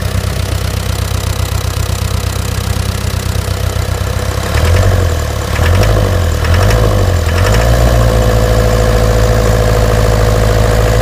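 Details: Land Rover Series 3 diesel after new fuel pump, filter and injector pipes: heavy deep idle with a rapid knock about four a second, louder partway through; owner asks what causes it, source untraced.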